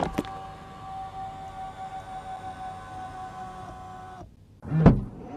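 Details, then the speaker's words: Tesla Model Y L six-seater power seat moving: steady mid-pitched electric whine for about four seconds, then stops; seat motor whines louder than expected, owner unsure if normal. "Is this supposed to make that noise? There's like a weird whine there."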